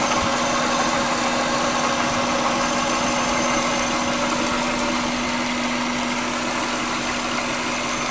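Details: 1999 Subaru Legacy Outback wagon, EJ25D 2.5L DOHC, 374,200 km, at idle: intermittent soft knocking concentrated at rear driver's side, only audible idling; engine also idling rough and vibrating more than usual; cause unknown.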